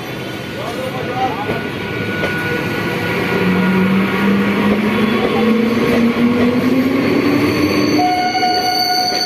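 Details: Sealdah–Barddhaman local train pulling away: loud whine climbing in pitch as it gathers speed over heavy rumble; unusually loud noise while running, cause unknown; loud running noise.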